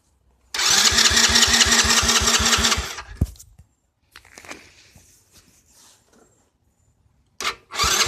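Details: Four-wheeler that won't start: cranks about three seconds, catches briefly, then revs sag and it dies before another crank attempt.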